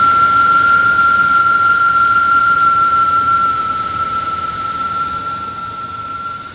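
A steady, clear high-pitched whine holds at one pitch over the running engine and fades out; it points to the belt-driven accessories.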